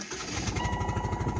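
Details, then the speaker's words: 2002 Saturn Vue with Chevy four-cylinder engine at idle: loud rapid chuffing puffs, about a dozen a second, as compression escapes where a spark plug blew out; first suspected an EGR valve. "oh no no no no I take it back take it back spark plug fell out that's exactly what it"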